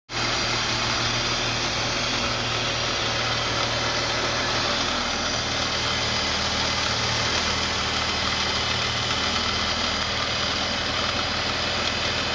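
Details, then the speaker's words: BMW 330Ci E46 at idle with intake cleaner sprayed around the intake boot to the throttle body: steady airy hiss, and the idle changes when sprayed, confirming a vacuum leak. "As soon as we do spray this on, idle changes. So looks like we have a vacuum leak."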